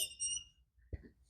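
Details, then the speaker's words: Nissan 200SX S12 Turbo hatch, 40-year-old blown front struts and worn ball joints: sharp high squeal then dull thump from one front side while turning; owner blames suspension/ball joints before replacing tie rods, control arms, bushings, shocks. "So notice while driving it around, we got a pretty nasty squeak coming from this side."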